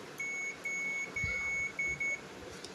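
Five short, clean high-pitched beeps in quick succession, nothing else behind them: the meter's continuity buzzer is working normally.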